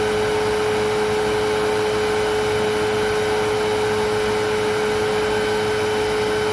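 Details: Riccar Vibrance Commercial Premium vacuum after new motor bearings and brush bearings (the motor had sounded bad before), bag inlet taped for an airflow test: steady, even, high-pitched whine with no rattle or grinding; motor runs smoothly.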